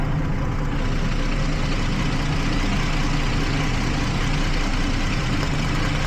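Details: 2012 Jeep Liberty 3.5 L V6, after coolant leak fix and engine bay soaking caused misfires on cylinders one and five from weak secondary ignition: steady even idle with no skips or ticking; running smoothly.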